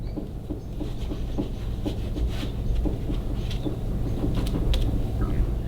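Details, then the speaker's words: Custom motorcycle, front end worked by hand in the shop: dull uneven clunks about twice a second; loose steering neck bearings, which cause handlebar wobble when let go, to be replaced. "So, symptoms of loose neck bearings are let go of the handlebars and they go whoop, whoop, whoop, whoop, whoop, real bad. That's bad neck bearing."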